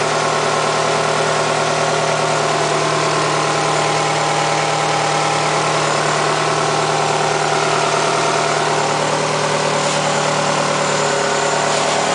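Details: 2008 Nissan Altima 2.5S engine at steady idle: faint, fast, uneven ticking over the engine hum; abnormal idle noise, cause not clear.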